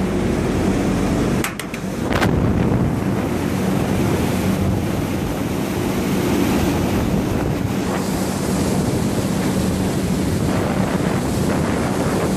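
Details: Marley cooling tower, the good one of two (the other noisy, gearbox suspected), heard inside the tower: constant roar of cascading water over a smooth low fan hum, brief handling knocks; normal running.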